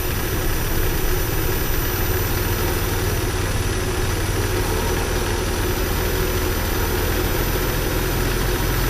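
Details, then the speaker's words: 1979 Porsche 924 idling evenly with a steady low rumble and no misses, finally running smoothly after a week of trouble; fuel pressure still reads high. Normal idle. "I guess it's running even idling all these I can get it to run smoothly now"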